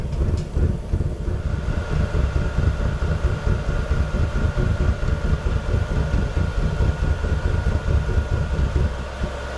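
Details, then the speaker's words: VEVOR diesel heater with a custom burn head: stainless mesh fitted and burn tube flipped. It produces a deep, uneven chuffing rumble with a faint hum. Owner suspects the fuel supply is unchanged and it is not getting enough air, causing rough combustion. "we are getting the same amount of fuel that we we've always gotten because it's being delivered by the fuel pump so it kinda has to be that it's not getting enough air"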